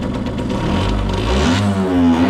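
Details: Restored 1989 Yamaha YSR50 two-stroke 50cc, 198 original miles, cylinder fogged in storage, premix oil added: buzzes and blips with crisp even firing, settles smoothly without stumbling; sounds brand new.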